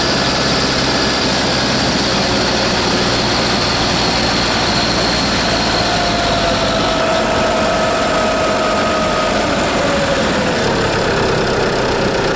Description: Strange squealing noise from my turbo Insignia B 2.0 Diesel cdti 170 68 plate.